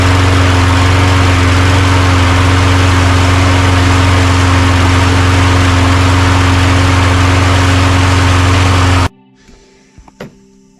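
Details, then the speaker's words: Toro Recycler self-propelled mower, which had run about 30 seconds then died, after carburetor cleaning and new fuel line: smooth, even drone at steady speed for about nine seconds without surging. Running normally. "I don't think I had them on tight enough because the priming bulb wasn't working very good, but now it's working pretty good."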